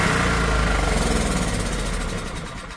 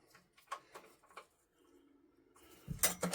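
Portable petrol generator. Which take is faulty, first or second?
second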